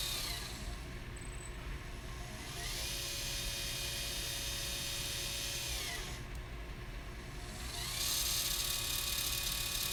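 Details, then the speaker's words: Automated camera slider's motor on battery power, run unloaded before a ball head and camera are fitted: an electric whir with a thin high screech riding on top while it turns. The motor squeals and the cause is unknown. "a little bit of a screech don't you think"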